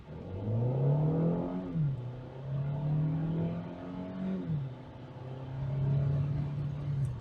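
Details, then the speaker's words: 2023 Hyundai Elantra Hybrid Blue test drive, full acceleration from a stop to about 55 mph: engine note climbs smoothly, drops cleanly at each quick shift, pulls again; healthy acceleration, transmission feels good. "about 55 miles per hour this is not bad at all i mean we got it up to speed definitely you know for a regular daily commuter there's nothing to complain about"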